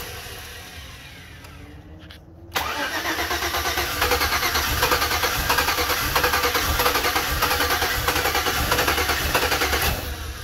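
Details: 2007 Chevy Avalanche 5.3L, ECM replaced, codes P0123, P0223, P0315, P0633, U0214: after a pause the starter grinds steadily for about eight seconds without catching; crank no start, owner suspects anti-theft module or cheap key.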